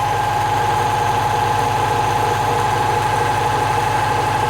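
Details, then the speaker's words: Classic Saab, one owner, stored in a barn for 32 years, first run: even, steady tick-over with regular low pulse and faint constant whine, no knocks, "like a sewing machine"; normal idle. ">> I'll let it tick over. >> Listen to that sound. >> Sounds amazing."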